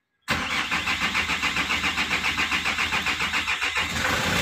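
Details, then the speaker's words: Hyundai Grand Starex diesel that would not start, glow plug and check engine lights blinking, after replacing a part: catches right away, even idle about three and a half beats a second; normal start and idle. "yon umandar na talagang may pag-asa na malinaw na sa ating mga mata na umandar na yung ano yung grand stx Hyundai grand starx"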